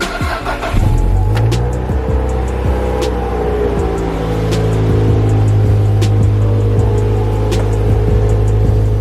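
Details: Toyota MR2 SW20 on jack stands before repair: loud raspy exhaust with sharp puffing ticks about four a second over a rough idle; exhaust leak.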